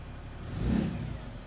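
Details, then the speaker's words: Ram 3500 diesel, winterized with new fuel filters, an oil change and anti-gel fuel additives: a quick clean rev that rises and settles smoothly, with no knock, rattle or hesitation; the engine sounds healthy. "so i'll run that through the winter time and uh we should be good we should be good shouldn't have any issues out of this thing this winter so"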